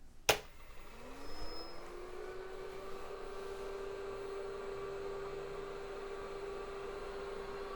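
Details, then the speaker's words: Rebuilt IBM 5150 PC at a power-on test with the motherboard power connector left unplugged: a click, then power supply fan hum rising and settling to a steady tone, with no POST beep from the PC speaker; the board gets no power. "I didn't plug power back into the motherboard. Of course it's not going to work."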